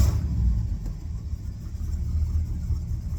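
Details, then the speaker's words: 1972 Ford F750 "Super Pickup" truck V8 idling after ignition rewiring so timing can be read accurately; deep, fairly steady rumble with no stumbling or missed beats, starts and sounds much better than before; normal idle. "starts better sounds better definitely heading in the right direction way better"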